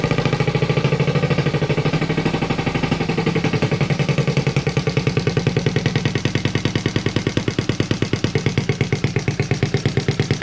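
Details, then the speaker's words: Z50A Monkey Bike single running properly for the first time after a carb was borrowed from another bike and float level and fuel-bowl leak were fixed; manifold not connected to silencer, giving a loud, rapid, even, crisp popping beat with no misses. "wow finally well we managed to get it to work and it sounds pretty cool as well in the uh as you can tell the uh manifold isn't connected to the silencer i just wanted to see what it sounds like without it"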